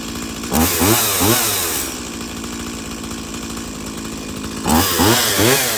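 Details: Stihl MS170 chainsaw after fixing the shut-off switch lever spring, with new plug, air filter, fuel filter and fresh fuel: steady burbling idle between two sharp throttle blips that climb and fall cleanly; runs healthy.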